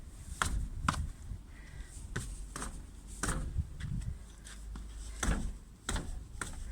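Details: 2018 Lada Granta FL test drive after lubricating the front calipers and guide pins: irregular dull clunks and rattles over bumps at the front wheel; still slight play, but it seems somewhat better.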